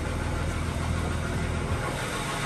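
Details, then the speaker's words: Ford BF XR6 Barra engine with sludge and P1381 VVT codes, started after fixing pinched wires under rocker cover: steady even low idle, previous knocking gone, revs smoothly; check engine light on, noisy pulley. "so let's start it and the noise is gone and it's revving smoothly we've got engine light but we can scan for that what the hell that noise has completely gone"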